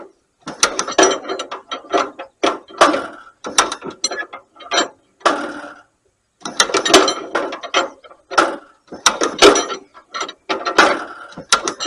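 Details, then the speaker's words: 1938 Allis Chalmers B tractor with rare Waukesha engine, just bought, fuel on, full choke: repeated ratcheting crank clatter with pauses and no firing; no-start, magneto timing far too advanced, mag likely needs overhaul. "And it sure ain't wanting to start."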